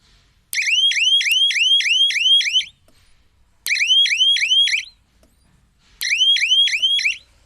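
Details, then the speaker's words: Solar fence energizer (jhatka machine) running with the siren button switched on; the siren sounds via the earthing phase when something touches the fence: three bursts of rapid high chirps, about two seconds each, with silence between; siren working normally. "जब कोई चीज़ इसमें टकराएगा तो ये siren earthing face से आवाज़ करेगा।"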